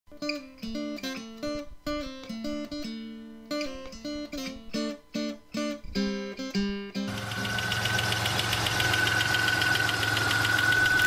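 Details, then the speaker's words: 2000 Dodge Caravan 3.0L petrol V6 idling with a fast, light tick-tick-tick tapping from worn hydraulic lifters that need replacing; guitar music intro first. "tick-tick-tick sound is a sign that your hydraulic lifters may need replacing it's not something you want to leave alone"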